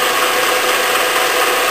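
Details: Bridgeport milling machine, spindle motor running, feed direction knob switched between in, neutral and out: steady gear whir with faint ratcheting clicks as the quill feed gears mesh; normal engagement, nothing rough.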